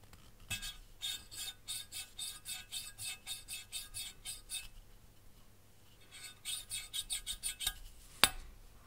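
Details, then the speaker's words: Mercedes OM646 cylinder head during valve lapping: rhythmic rough scraping or rustling strokes about two a second as the valve turns on a seat not yet lapped, compared with the first intake valve on cylinder two. "такой звук для сравнения можно взять первый впускной второго цилиндра и посмотреть его звук ну а этот он так прям шелестит"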